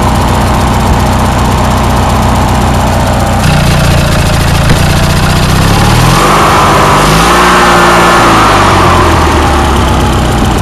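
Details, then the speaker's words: Briggs & Stratton opposed twin after carburetor rebuild and fuel pump kit, tuned, running on full with no choke; steady, revs rise and settle smoothly, still slightly uneven, needs more tune-up; normal running. "carburetor is all back together now and I got some good news I have started it up I tuned it a bit and it will actually run with on full with no choke at all"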